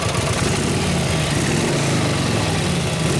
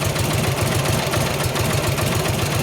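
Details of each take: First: 1953 Harley-Davidson 74ci panhead, kick-started during tune-up after timing adjustment and carb adjusted 2-3 clicks, still warming up: loud, lumpy but even V-twin idle with steady rhythmic rumble, no misfires or popping; running properly. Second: 1953 Harley-Davidson 74ci Panhead, kick-started during a tune-up, still cold, after distributor timing changes: idle comes in lumpy, uneven beats with no steady rhythm. It runs rough and the adjustment didn't help; the cause is unclear.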